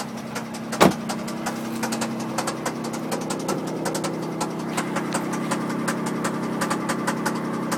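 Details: MG ZT at idle: sharp, regular ticking knocks at an even pace over a steady idle. Engine knock whose source isn't pinned down.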